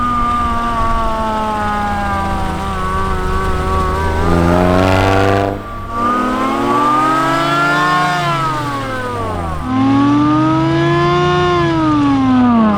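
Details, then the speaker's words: Mazda Miata drift car with a $300 Amazon supercharger, test drive revved to about 5200 RPM: revs climb and fall smoothly with clean supercharger whine rising with engine speed, no knocks or rattles; afterwards the rotors still look decent, a healthy supercharged engine. "that was crazy I didn't even dare go above like 5200 RPM it sounds ridiculous we have a supercharger"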